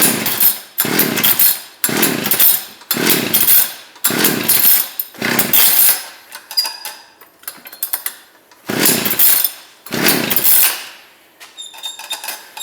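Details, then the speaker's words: Two-stroke ice auger engine after carburetor reassembly: short uneven bursts surging then dying about once a second, never settling; engine is flooded, left to clear. "It is flooded, so I am going to leave it for now."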